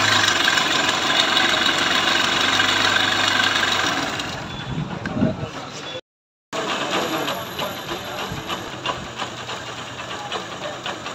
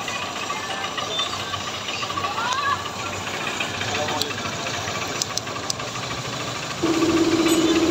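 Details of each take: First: Honda Trigger motorcycle at idle: uneven ticking chatter about three to four per second from the top end; cam and rocker arms found worn and scored under the tappet cover, being replaced with original parts. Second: Honda Trigger motorcycle after repair with original parts, worn cam and rocker marks found under tappet cover: light, regular single-cylinder beat about four per second, no heavy top-end clatter, steady hum near the end; running normally.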